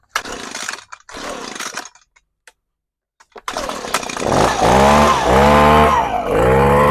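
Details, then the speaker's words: Echo PB-250 two-stroke leaf blower after coil replacement, idle mixture screw set to 1 turn out (from about 3/4): after a few stops it fires and runs steadily, note wavering while the screw is tuned; sounds much better afterward, probably oil buildup in carburetor to burn off. "Now I'll adjust it a little bit more. All right, that sounds much better."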